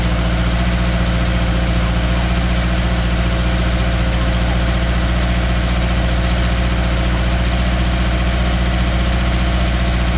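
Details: 2013 Subaru Outback 2.5 at idle: low, steady drone with a faint uneven pulse about four times a second; slight stumble from cylinder 3 misfire.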